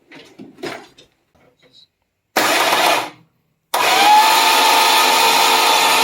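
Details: Slant Six engine cranked by jumping the starter relay with a screwdriver due to broken key switch, plugs out, no oil in it, fuel leaking: after short burst, even fast whir with steady whine and no compression beats.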